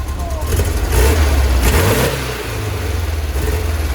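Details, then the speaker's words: 1966 VW Split Bus dual carburetors after going up to 70: revs climb and fall cleanly with no stumble or popping, settling smoothly back to idle; throttle response now good, road test next. "so it sounded really really good i'm not gonna beat it up anymore i think it's where it's supposed to be"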